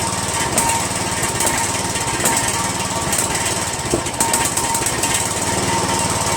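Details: Poulan 16.5 HP lawn tractor single-cylinder engine after valve check, RTV valve cover gasket, Chinese copy replacing Nikki carburetor and new intake manifold: loud uneven chatter with irregular stumbles and surges; rough, unsteady running, cause not pinned down.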